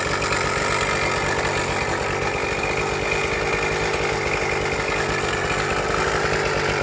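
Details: Suzuki Max 100 two-stroke motorcycle, cold start after sitting about 5 years during restoration, only carburettor cleaned and wiring reconnected: steady buzzy idle with rough uneven flutter; abnormal engine noise, engine not 100% OK, cause not yet found.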